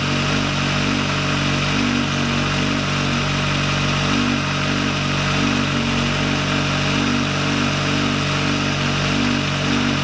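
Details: VW Lupo 1.8T turbo first restart after engine failure, rebuilt with H-beam conrods, new bearing shells and 2 mm thick head gasket: smooth, even idle with steady hum, no tapping, knocking or misfire; runs very well.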